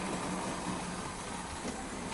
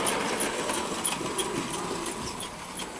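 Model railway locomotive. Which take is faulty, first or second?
second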